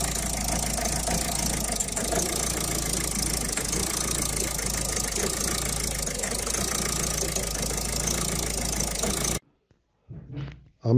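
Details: 2011 Citroën Picasso diesel at idle after the diesel rail pressure sensor was replaced; even idle with a faint light whirring rattle on top, the owner's remaining small noise, suspected worn timing tensioner and idler pulleys.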